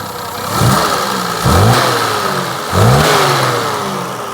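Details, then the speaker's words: Leyland Princess Woodall Nicholson Kirklees limousine, transverse six-cylinder E-series HL with twin carburetors and 3-speed automatic, revved after start (the fuel pump noise has quietened). Blipped three times; revs climb cleanly and fall back evenly, no misses or knocks, smooth and healthy. "The noisiest fuel pump known to man, but there we go, that's quietened down. The knock isn't the engine itself. There you go, how nice does that sound?"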